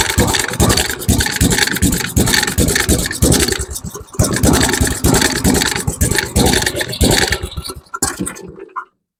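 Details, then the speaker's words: MTD Snowflight two-stage snowblower with Tecumseh 8 hp Snow-King engine, on old fuel: small single chugs unevenly, the beat stumbling and thinning until it dies at about nine seconds. It runs rich because the choke was left closed. "Okay, let's try with the choke open. That was my fault. I forgot to open the choke back up."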